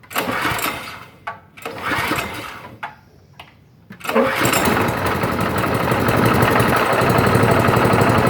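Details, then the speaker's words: Gasoline engine driving a petrol air compressor: switched on, after a few recoil pulls it catches and settles into a steady, even, fast putter with no knocks; healthy small engine. "Oke jadi seperti itu ya cara menyalakannya ya Jadi ini on terus tarik request starter dia akan menyala ya oke"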